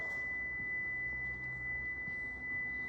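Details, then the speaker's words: Prevost bus (Marathon conversion) brake warning buzzer: single steady high-pitched tone while brakes held during air pressure test; sounds whenever brake pressed. "okay that warning sound the alarm is very annoying it's coming from this"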